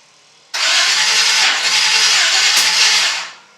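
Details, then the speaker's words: 1951 Chevy 1-ton flatbed with Chevy 350, first start attempt after rewiring: steady cranking whir that never catches; fat but intermittent spark at plugs, new distributor suspected. Crank, no start. "in this case the suspected part is the distributor checked out the spark on the different plugs and it's getting a fat spark but it's kind of intermittent"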